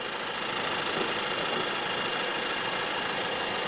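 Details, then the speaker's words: Previous-generation (second-gen GB) Honda Freed petrol at idle: light, quick tick-tick-tick over a hissy hum, the normal high-pressure direct-injection fuel injector noise; the new model is quieter at idle. "아이들링 시 이전 세대 프리드는 직분사 시스템 특유의 고압 연료 인젝터 소음인 '틱-틱-틱' 하는 소리가 약간 들립니다."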